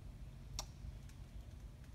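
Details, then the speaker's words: Lincoln Ranger 250 gas engine-driven welder, no-start: pressing start lights an unlabeled yellow light and gives faint scattered clicks, engine never turns over; battery voltage to be checked first, cause unconfirmed. "I hit the start button gives me that yellow light of course there's no label as to what that yellow light means but I do hear something clicking if you listen"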